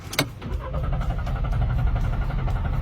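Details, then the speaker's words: Car cranks but won't start: the starter whirs at a steady three beats a second with no catch. Cleaning the throttle and replacing the spark plug, ignition coil and canister solenoid didn't fix it; the fault is a sludged camshaft solenoid valve. "it still won't start do you know why let's go to the front"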